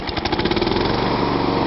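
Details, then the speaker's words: Small single-cylinder walk-behind mower with blade clutch engaged, running steady and even with the blade spinning, a smooth whirr under the engine beat, spilt oil burning off exhaust; normal running. "You hear it? The difference is now the blade's running. And when you go to change the basket, you just let go of this, and the blade stops."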